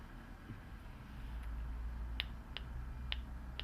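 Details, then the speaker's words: Mazda 626 lock/unlock key fob: the lock button gives four crisp clicks, the unlock button gives nothing. Dead button, suspected tactile switch broken off the circuit board. "the lock you can hear a clicking but there's nothing from the unlock what I would imagine is and that the tactile switch inside is broken off the PCB which is very common"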